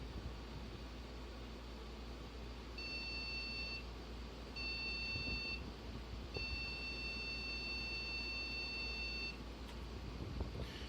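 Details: One of four scrap motherboards, after a capacitor was replaced. High-pitched beeps over a low hum, two one-second beeps then a three-second tone: a POST error code, cause unknown. A memory-slot change and a video-card wiggle were being tried.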